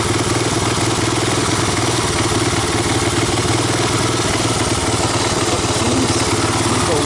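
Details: 1985 Honda ATC250ES Big Red single-cylinder after carburetor swap and adjustments, warmed up, choke off: loud, even, steady putter without stumbling; valves untouched; not a bad idle; normal idle.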